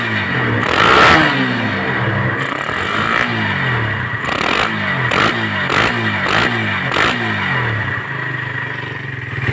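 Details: Suzuki Satria FU150 fitted with a new Keihin PE28 carburetor, after it hesitated and stuttered on throttle, air screw set no more than two turns out: small engine blipped about eight times, each rev rising and falling cleanly; running normal.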